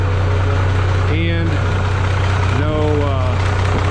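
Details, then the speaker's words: Minneapolis-Moline G950 propane tractor idling cold after manifold leak fix with doubled gaskets and RTV, valve covers back on; Stanley muffler slightly louder than deeper new-old-stock one; even low idle, quiet valvetrain, no manifold puffing; normal idle. "but I would say that the New Old Stock has a deeper sound to it it's just more solid I don't even know how to describe it the Stanley is not bad though but it it's just slightly louder"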